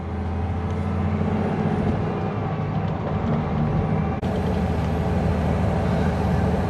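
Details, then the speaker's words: Spierings SK1265 AT6 crane that had a loud bang and power loss, test-driven after repairing a single failed pipe: a deep, steady diesel drone pulling evenly under load through the low gears, with no bangs or misses and power returning. "So, it seems better already. We're only through the low gears, but one, you'd hear it. which I can't hear nothing. We're already picking up some power, which is good."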